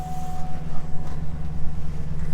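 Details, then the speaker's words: Auction vehicle with 182,000 miles and the check engine light on, engine bay open, no aftermarket parts, a wire loom missing. A low, even idle hum with no knocks, ticks or misses. Runs smooth. "all right motor's running nice and smooth"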